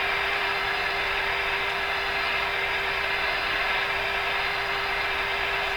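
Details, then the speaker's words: RCA A-32 Globetrotter tube radio, restored, tuned on the shortwave 25-meter band near 11.75 MHz with an antenna: a steady mid-pitched whistle over receiver hiss, which was interference from a nearby soldering iron and stopped when the iron was switched off. "What did I just do that got rid of all that noise? My soldering iron. Wow, that's not very good."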